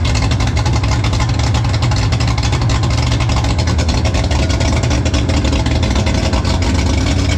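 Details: Mercury 3L outboard (225hp carb-to-250hp EFI swap) on a 20ft Allison boat, after a mechanic checked the work: dense, steady roar held at speed with no stumbles or pops. The carb slide opens only on secondaries at full throttle; runs strongly.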